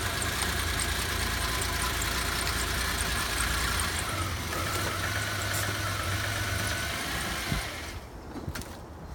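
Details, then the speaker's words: 2005 Subaru Outback 3.0 H6 with a blown head gasket, idling after a coolant flush and drain before Blue Devil sealer: uneven putting idle with a loose beat of about three per second; owner suspects a fouled spark plug. "You can hear from the putting that it's got a fouled out spark plug."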